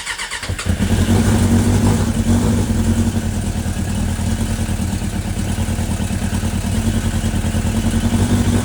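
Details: Suzuki GSX600F Katana after carb rebuild and new intake boots, still racing at a fast steady idle that won't settle; owner suspects an air leak elsewhere.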